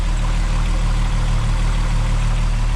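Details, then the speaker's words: MK4 12v VR6 just after fitting Techtonics Tuning 268 camshafts, not yet warmed up: steady, even low rumble with no ticking, misfire or marbles noise; smooth, healthy idle. "I don't hear it's not marbles so I love that that's always a win"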